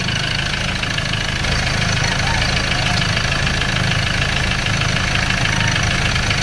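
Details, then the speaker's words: Ford Ranger 2.2 manual diesel with heavy smoke, low power and a grinding-like noise, at idle: hard, uneven clatter over a low rumble, like fuel knock; no blow-by at the dipstick, cause not pinned down. "Kung napapansin nyo mga kalbularyo ay sobrang knocking, parang fuel knock kung pakinggan natin."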